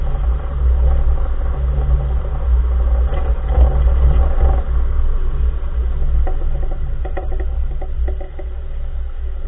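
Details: Front wheel area of a 2014 Nissan March while driving: heavy low road rumble with scattered irregular clunking knocks and clatters from the front corner; source unidentified, owner asks what part it is.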